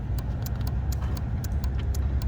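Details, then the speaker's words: 2019 Ford Flex SEL, about 18-19k miles, stranded with a no-start; the owner suspects the battery: rapid dry ticking at about four clicks per second over a low hum comes from relay 77 (tow-package relay). Relay chattering, cause not confirmed. "and then I'm also getting some weird clicking sound coming out of uh relay number 77 which is this one over here you can kind of hear it"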